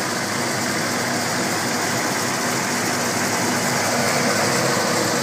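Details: 1972 Chevelle SS, recorded at the engine bay of the 502ci RamJet fuel-injected V8: a steady idle with a deep burble under loud whir from two continuously running electric cowl-radiator fans. No knocks, misses or ticks; healthy.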